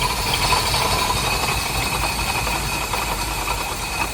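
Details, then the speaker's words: 1983 Chevy C10 parked since 2002, new distributor, used starter, on starting fluid: harsh, loud, ragged roar with coarse uneven beat about two per second; runs rough and noisy, timing suspected slightly off. "That is loud. It's parked. Let's go girls. Come on. Parked since 2002. New distributor, new starter. It's like the starter struggling so the timing may be off a little bit."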